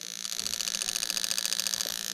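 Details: New 1996-97 LS400 1UZ-FE non-VVT-i harness with standard ECU on a 3UZ test engine, close on injector number seven: crisp even ticking about twelve per second, stopping cleanly; injector firing normally.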